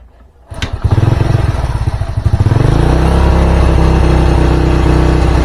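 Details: Old Honda Supra motorcycle, hard to start in the morning, with black plug, heavy fuel use and black smoke, after carburettor jet shimming: several slow, uneven cranking chuffs before catching; pilot jet likely too small.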